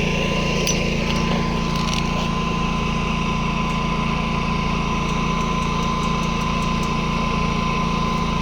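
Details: Predator 11,500 W inverter generator, broken in, powering an inverter welder from the 240 V 30 A outlet: steady low hum, even note, no hunting or surging; works well under load, though the owner is bothered by the noise.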